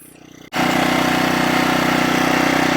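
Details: Champion 1500 watt gasoline generator started after about six years of storage, powering a plugged-in light: catches and settles into steady, even buzz at constant speed, no hunting or surging; normal running under light load.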